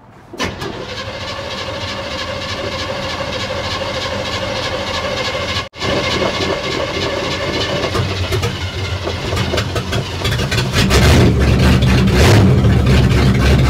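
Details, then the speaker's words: 1960 Chevrolet before new exhaust: starts and settles into steady idle with loose, raspy, flat, sloppy exhaust note growing louder; driver's side exhaust exits early, loud exhaust. "sounds like know sloppy it sounds sloppy is what it sounds like I mean the driver's side just comes out right there"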